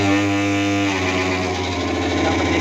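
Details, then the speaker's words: Mixer grinder motor with its field windings burnt on both sides gives a heavy, buzzing hum that roughens after a second; rpm has dropped considerably and it draws about 5 amps, which is high. "देखो, दोनों तरफ के खेत जलकर राख हो गए हैं। इसके परिणामस्वरूप, मोटर की आवाज बदल गई है और मोटर की आरपीएम काफी कम हो गई है।"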